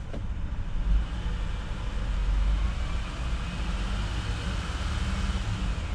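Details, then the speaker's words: Used car, pre-purchase inspection, scan showing only the EVAP monitor not ready: steady, even idle with no knocking or valve chatter, engine running well. "yeah no knocking no valve chatter which is good"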